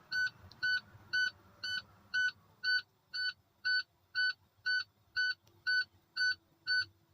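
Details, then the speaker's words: Tractor-trailer air brake leak-down test, engine off with key in accessory and brake held: even electronic beeping about twice a second as the low-air warning buzzer and light come on at 65 PSI. The truck has an air leak. "So Patrick, my light and my buzzer for my tractor came on at 65 PSI."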